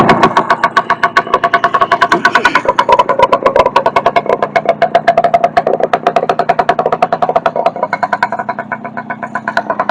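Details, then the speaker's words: 1964 Suzuki K11 after carburetor rebuild, no baffle in the oil-loaded muffler, cables not yet adjusted: loud, crisp, evenly spaced two-stroke popping at fast idle with a slight blip; runs smoothly. "Doesn't have a baffle in it right now. It's noisy"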